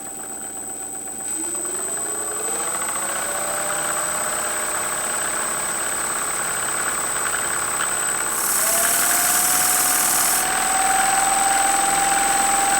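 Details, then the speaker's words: Freewing 4258 580kv brushless motor from a P-51D Mustang 1450mm RC plane after a prop ground strike, run at low speed: a whine with a quick, steady knock rising with speed and rough shaft play. Damaged main bearings, replaced with 5x11x5 bearings. "So you can hear that knocking sound. That is not a normal sound for a motor."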